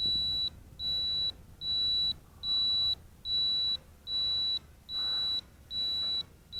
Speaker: to flip it upside down you press the left button first and then the right button then you'll hear a beeping and then you move the pitch roll stick and it'll flip